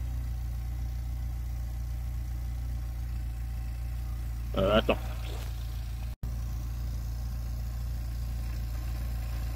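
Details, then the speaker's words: VW Golf 3 idling after fitting a new rear silencer to replace the broken one: low, steady idle hum with even beat, no hiss or puffing at the joints; sealing checked by hand and perfect. "Bon, en tout cas, l'étanchéité est nickel. quand même mettre la main pour voir."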